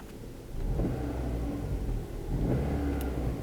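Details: 2008 Kia Rio after diagnosis and repair of a flashing check engine light with misfire codes P0300, P0301, P0303: engine revs up and settles smoothly with a steady, even note and no stumble or pop; running cleanly.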